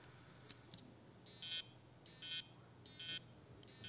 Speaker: so normally what this would mean is is that I've got a head stuck to the platter or I got a spindle that doesn't turn so the heads not be able cannot read anything so they'll make noises like this